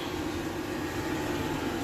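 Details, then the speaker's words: DeWalt diesel heater, newly installed, warmed up to 214°C; steady even whoosh of burner and fan, fuel-pump ticking now lighter and barely noticeable, no surges or rattles; normal running. "Oh, now the ticking is a little less. We're at uh 214° C. All right, she's got some heat."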